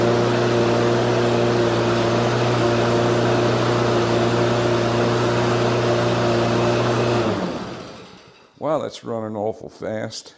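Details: Husqvarna HU 600L mower, Kohler XT149, old carburetor refitted with flattened flanges and new gasket: races at a high, steady speed with a fast even putt, then shuts down; running too fast, no longer dies instantly but still hard to start.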